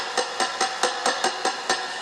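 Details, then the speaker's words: Fender Blues Junior III amp, first 12AX7 preamp tube tapped about every quarter second: each tap sets off a short bright metallic ring, a microphonic tube causing high-frequency ringing; vintage military Tung-Sol 12AX7 settled on as replacement. "What I'm going to try to do is, it's this first 12AX7 that's making it so sensitive."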